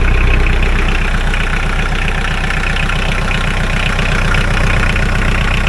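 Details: Mahindra 4110 tractor diesel, after repair of an overheating-blown head gasket, coolant treatment added; test-driven 3–4 miles with no leaks. Deep, steady clatter at an even pace, no misses or knocks: normal running.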